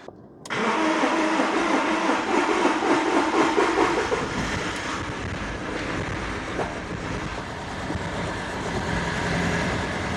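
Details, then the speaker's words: BMW E46 diesel, sat 5 years before police auction, first start on booster without alternator: after long crank it fires into an uneven, lumpy loping idle, not running on all cylinders; later smoothed out. Rough running misfire. "It does not run on all cylinders, but at least it runs. It does not sound happy. Definitely does not sound happy."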